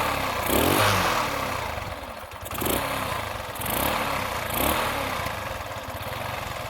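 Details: Small single-cylinder engine that chokes and stalls on opening the throttle and spits back through a rich-running carburettor now idles on its own after a missing cover O-ring was replaced; revs gently swell and settle with light clatter.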